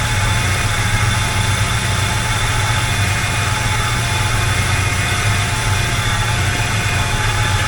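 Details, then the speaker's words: 1985 Chevrolet K20 V8 after fitting an Edelbrock 1906 AVS II carburetor, only idle mixture screws adjusted: starts instantly instead of cranking long, then deep, steady rumble at even idle with no stumble, miss or hunting; running clean. "I'm going to start it up and you can see that this thing starts on a dime doesn't sit there and try to crank anymore"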